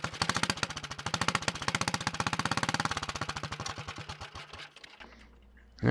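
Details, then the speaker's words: Early 1961 Wheel Horse model 401 lawn tractor single-cylinder engine at first run after restoration work: loud sharp popping beats slowing as it runs down, raw bark from a blown-out muffler. "i moved the camera so you don't hear that blown out muffler as much"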